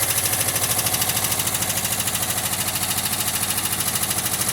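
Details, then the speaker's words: 1979 VW Westfalia, cold start after sitting; even light tick two to three a second at idle, lifter noise already quieting as it warms; ticking on cold start. "all right while the lifters are quieted down quite a bit already"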